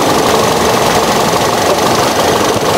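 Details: 2011 Toyota Yaris E, 1.5L 1NZ-FE four-cylinder with a 4-speed automatic: steady, smooth idle hum with no knock, tick or rattle. No smoke from the oil filler and no water-oil mixing; the engine sounds normal and healthy.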